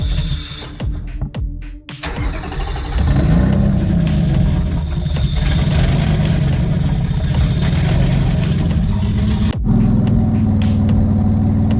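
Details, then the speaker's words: Twin-engine Mazda MX3, unloaded idle during tuning once wiring was sorted: uneven, lumpy idle with a low, wavering exhaust note; by ear running very lean. "And by ear right now, I can tell you that it is lean. It's running very lean, which is bad, obviously."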